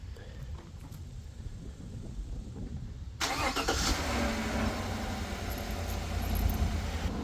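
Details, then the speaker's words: Truck with new solid-state battery replacing a weak lead-acid one, remote cold start after sitting overnight, hood shut; short fast solid crank, catches almost at once and settles to a steady, even idle. Normal cold start. "So it started up a lot quicker than what I was hoping it was going to. I thought it was going to crank just for a little bit so you could hear how fast and solid the cranking process is."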